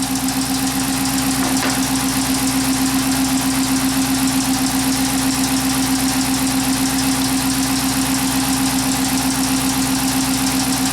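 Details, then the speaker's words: Chrysler 300 with P0300/P0302 codes at idle, eight inches of vacuum; a steady idle with a faint repeating stumble in the exhaust beat. The slight vacuum-needle fluctuation points to an exhaust valve problem causing the misfire. "we can see very very slight fluctuation on the needle and scissors before and this is clear indication to me that we have a problem with the exhaust valve"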